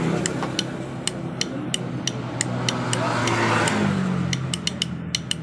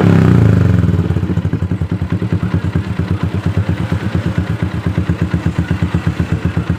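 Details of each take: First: Yamaha Jupiter MX with a new battery, key on, starter button held: dry clicks about three per second but the engine never turns over; starter clicks with no crank, suspected dead starter motor or faulty starter relay/bendix. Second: Yamaha Jupiter MX started by jumping the ignition switch with a cable during a no-crank repair: catches quickly and settles into an even single-cylinder idle around 160 beats a minute; normal start and idle.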